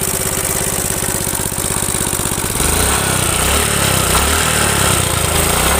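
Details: Suzuki Smash small single idling with loose, rattly knock in time with firing, rougher as revs rise; worn connecting rod big end and crank bearing, piston also loose and smoking at rings, worn sprocket.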